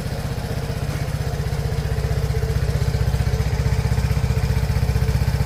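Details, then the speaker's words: Vespa Primavera S 150 idling on its stock exhaust, before a Termignoni full exhaust install; even, deep putter about four pulses a second, smooth with no misses: healthy idle. "Ayan guys, so ito yung before. Ito yung tunog ng stock exhaust natin."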